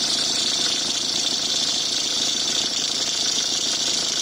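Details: Peugeot 306 HDI 2.0L at idle with a harsh, high, steady hiss and rasp, and the alternator belt trying to walk off. Spraying changes the noise; worn alternator belt tensioner pulley bearing, to be replaced.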